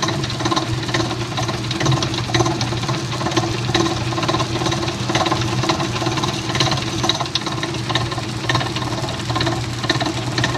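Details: Amana washer, MFG # P7762117WW: motor hum with uneven clunks about twice a second as the agitator swings back and forth; agitator clunking, cause not yet found.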